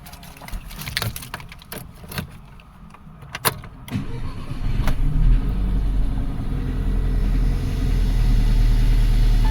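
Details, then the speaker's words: 2011 Audi A8 after an engine overhaul (crank pulley thrown, chain came off, piston-to-valve contact), which had cranked but not started: now catches after cranking and idles low and slightly uneven with a faint stumble, a mild misfire. "So there we go. The car is running. We have a bit of a misfire, but that is not what I'm here to solve."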